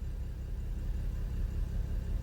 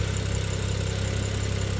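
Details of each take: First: BMW N55 with new plugs, injector and gaskets, old coils; idles fine but misfires when revved, uneven lumpy beat in the rise and fall of revs; misfire on cylinder 5/3, with smoke and coolant loss; owner suspects head gasket, unconfirmed. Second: BMW N55 with misfires and suspected head gasket failure, idling about 20 minutes at operating temperature after adding head gasket sealer, not revved: deep even idle with steady pulses, no stumbles and no misfires so far.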